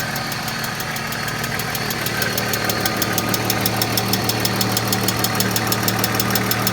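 Sharp, even ticking about three per second sits on top of a steady idle; a loud top-end tick, cause not confirmed.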